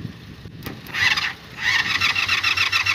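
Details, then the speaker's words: Motorcycle won't start from the button; starter solenoid bypassed with a screwdriver: bursts of fast whirring cranking with high metallic whine, stopping and restarting, no firing. Turning over when bypassed indicates a bad starter solenoid; fuel also leaking. "if it starts like this like tries to turn over that means that this starter solenoid is bad"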